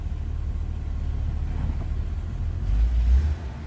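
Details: 1984 BMW 325e, 2.7L inline six with a Getrag 5-speed manual, 105,000 miles, heard from inside the car: a low, soft rumble, steady and even at warm idle. A smooth, normal idle.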